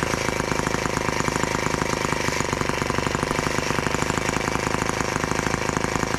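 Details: Brand-new TR1 tractor on its first start, running on 40:1 fuel mix: small two-stroke buzz with a fast, slightly irregular beat that wavers; uneven running, and the owner thinks the carburettor may need adjusting.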